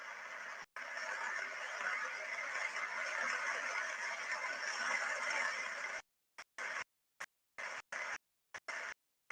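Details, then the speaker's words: Structure-borne ultrasound on an adequately greased bearing as more grease keeps being added: quiet at first, then steady rough hiss with friction noise building; over-greasing stresses the bearing. "and you can clearly hear that the bearing is now getting more and more under stress as as it's getting more and more grease uh added to it and the friction on the inside increases"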